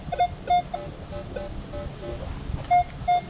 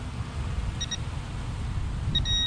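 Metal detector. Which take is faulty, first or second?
second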